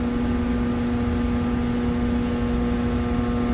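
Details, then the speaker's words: HVAC evaporator motor trying to start: steady loud hum, buzzing without running due to single phasing, not getting proper voltage. "interesting the motor is buzzing and it's not getting proper voltage I don't think"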